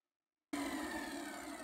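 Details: Numatic Henry vacuum, Hi-Lo switch set to high during oscilloscope checks of the PCB: motor comes on sharply with a steady, clean mid-pitched hum and light airy whine, no surging or rattle; normal high-speed running.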